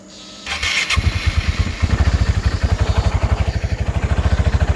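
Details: GY6 scooter engine on Speeduino 0.4.0 with intermittent no-start and flashing VR conditioner, battery on charger: fast even starter cranking about ten beats a second that never catches.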